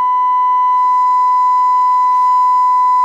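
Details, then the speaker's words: Breadboarded LM380N bridge amplifier (two LM380s) on a 1 kHz test tone, with the probe removed from the input; steady high tone with faint hiss behind it: amplifier passes signal but adds noise. "it's quite noisy I might turn the frequency down"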